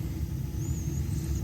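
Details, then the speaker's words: Weil McLain CGa6 boiler after control module issue, about 15 psi, vent damper opened then flame: deep steady roar as burner lights, even rumble, no popping; normal burner ignition. "And then we're gonna have our damper lit up and then flame. And then we have ignition."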